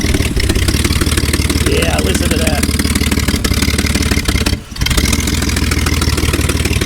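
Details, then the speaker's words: BMW 325xi E46 with no catalytic converters or muffler, factory resonators: uneven idle with sharp puffing tick on each firing pulse; exhaust leak at the headers from several broken or missing header bolts. "now the other problem we have you probably hear the exhaust leak coming from the headers"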